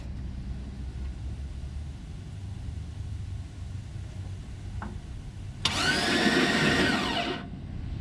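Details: First crank after months of rewiring, starter relay sorted: after a quiet stretch the starter spins the engine about two seconds, even and unbroken; normal crank, no start; some flywheel engagement issue still suspected.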